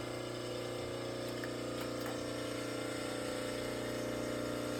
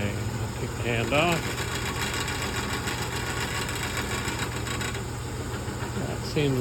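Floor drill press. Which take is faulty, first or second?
second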